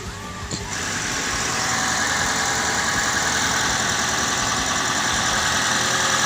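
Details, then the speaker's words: Car that would not start on a weak battery, started after charging and leaving ignition on about 5 minutes before cranking: engine catches and settles into a steady even idle, no knocks or stumbles; normal idle. "Oke, saya akan coba starter setelah tunggu beberapa menit. Ya, mesin menyala."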